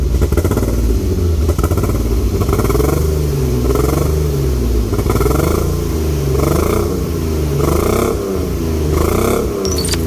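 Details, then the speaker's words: BMW E36 328i on first start: lumpy, uneven idle with loping, surging beat and missing pulses; running on three cylinders because two or three injectors are apparently seized. "Bon, elle tourne sur 3 cylindres parce qu'apparemment il y a 2-3 injecteurs qui sont grippés. Mais à part ça."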